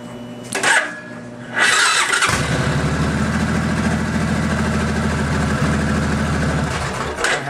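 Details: Fuel-injected Suzuki Boulevard after intermittent no-start with C12 crank position sensor code, caused by a loose connector: with the connector pushed in, the starter whirs briefly, then the engine catches and settles into a steady, even idle thump; normal start.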